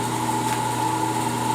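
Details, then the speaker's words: 1.5 hp single-phase 115/230 V electric motor bolted to wood, test run: steady even mid-pitched hum at fairly slow rpm, no rattles or grinding; normal running. "now it is kind of a slower RPM that's still not bad though you know like it's still ripping along pretty good there"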